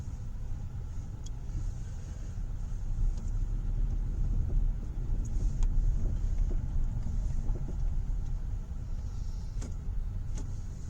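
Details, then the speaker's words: 2012 Hyundai Elantra after misfire repair (codes P0301-P0303), verification test drive; low even engine rumble under road noise with no stumbles or skips, idle smooth, misfire gone. Normal engine running. "It's running really well. It's idling smooth. Our misfire problem at idle is gone."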